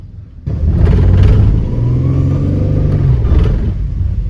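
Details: 2010 Dodge Grand Caravan in reverse under throttle, before Lucas Transmission Stop Slip was added: engine roars to a high, wavering rev with no matching pull; bad slipping and shuddering in reverse.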